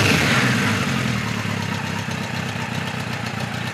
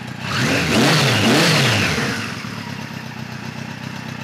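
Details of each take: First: 1973 Kawasaki Z1 900, 4-into-4 exhaust, new BR8E resistor plugs, warmed up: mostly steady idle with an occasional uneven beat, slight intermittent miss, owner suspects cylinder one or two. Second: 1973 Kawasaki Z1 900 with new 4-into-4 exhaust, enricher now fully off: a couple of quick blips, then the four settles to an even, smooth idle with no stumbling before being switched off.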